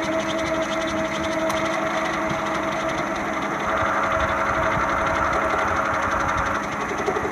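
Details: Toyota Camry four-cylinder at idle: a steady idle with a quick, uneven light rattle running through it; worn, noisy, shaky harmonic balancer, later replaced.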